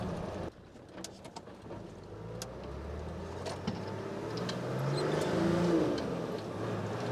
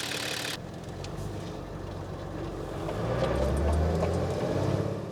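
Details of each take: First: Nissan Patrol diesel on a hot-day test drive after the new 11mm boost-compensated injector pump was fitted and adjusted: pulls cleanly through the gears, EGTs stable and peaking about 550, with decent power; acceleration is normal. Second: Nissan Patrol diesel after a secondhand 11mm boost-compensated injector pump replaced the old 10mm pump, under load: pulls and rises to about 2000 rpm, then dies out and won't rev past two grand; it is underfueling.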